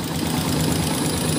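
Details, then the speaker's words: Honda TMX 125 series 1 (2015-2016, about 7-8 years old), cold kick-started single after camshaft O-ring replacement; quick sharp ticking over the putter at idle, loud even when cold. "so malakas na yung kanyang lagatik kahit malamig pa yung makina"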